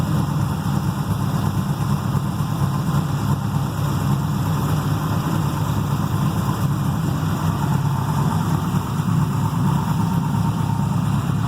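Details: Carbureted 6.0 LS V8 with mechanical fuel pump and distributor, freshly built, heavier pistons, solidly mounted in a race car frame: deep even rumble holding steady, no shake, tick or stumble; normal running.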